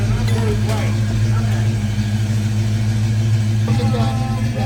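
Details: 1970 Ford Boss 302 Mustang just started after a full rewire with new harness; steady, even V8 idle with smooth low throb, no ticks or stumbles, voices in background.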